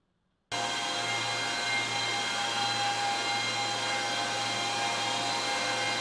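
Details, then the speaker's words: Seven ASIC bitcoin miners running in a home during hot summer days: a loud, steady high fan roar with a constant hum underneath; normal, even fan noise. "nakoľko eig Miner sú známe tým že generujú jednak teplo hluk ten hluk si môžeš tuná teraz vypočuť Ako veľké mašiny produkujú"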